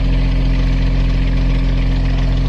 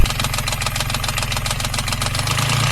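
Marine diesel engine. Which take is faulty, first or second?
second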